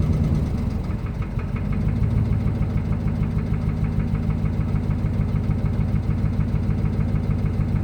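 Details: 2005 Ram Hemi V8: deep repeating knock at idle about three per second, louder when revs are blipped; rod knock.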